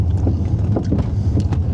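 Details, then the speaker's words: 2001 Volkswagen Jetta GLX on the road, intermittent with the right road and speed: low rumble with dull thumps about every half second over bumps, seemingly from the left rear, plus a rattle at the rear; source still unknown. "and if you can hear in the background the thumping sound sounds like it's over on the left-hand side"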